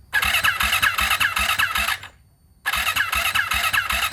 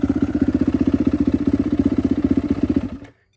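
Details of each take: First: Freshly rebuilt turbo Yamaha YZ450F now 500, E85 fuel at about E78, fuel pressure primed, battery good; first start attempt: repeated laboured uneven cranking bursts, two to three turns a second, never catching, struggling to crank from incorrectly timed cams. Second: Rebuilt turbo Yamaha YZ450F now 500cc on E85 with drive-by-wire throttle body, restarted after being put back together, starts easily; crisp even idle pulses near four per second, no misses or clatter, then clean shut-off.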